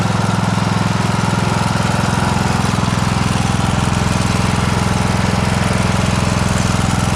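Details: John Deere S100 riding mower after its annual service (oil and filter changed, parking brake set): single-cylinder engine at a steady even fast beat, no misses, knocks or surging. Sounds healthy.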